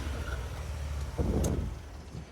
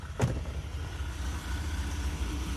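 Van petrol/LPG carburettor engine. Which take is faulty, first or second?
first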